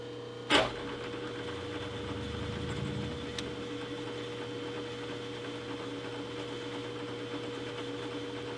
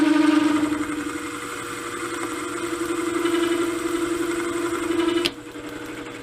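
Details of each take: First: 3-inch Banggood R8 boring head with indexable bar, deep cut in a bore: steady mid-pitched hum over rough cutting noise as the tool chatters; the tool feels slightly loose, chatter having loosened it before. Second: 3-inch rough boring head with R8 shank and indexable boring bar, repaired after major defects: chatter at deep cut earlier, but once into the heavy cut it runs with a steady, even cutting tone and no rattle or chatter.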